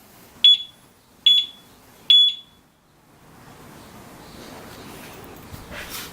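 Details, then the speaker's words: Urban Security UR6 alarm disc lock on a Victory Empulse TT, armed and moved slightly: three sharp high-pitched chirps a little under a second apart, then quiet; motion warning beeps. "even if you just move it a little bit it'll go off so as long as they continue to move it it's gonna it's gonna go off"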